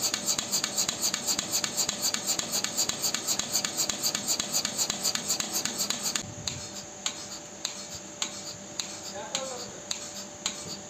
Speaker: ॲबनॉर्मल आहे. ॲबनॉर्मल आवाज आहे.